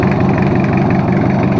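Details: Toyota Kijang 2L diesel, just started after an engine overhaul for low compression and abnormal noise: steady, even idle clatter with a smooth low drone, no missing or knocking; oil pressure normal, no smoke, healthy.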